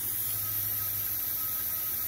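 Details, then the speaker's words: 2010 Audi A4 2.0 turbo with rough idle and random misfires, leak-down test on cylinder four: steady rhythmless hiss of air heard at the pulled dipstick tube, blow-by past piston rings, though compression is very high and valves seal. "so I pull the dipstick and this one you can hear the air coming through it um"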